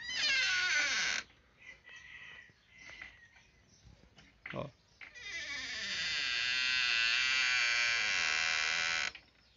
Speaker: porta fazendo esse barulho ó tá bem simples de consertar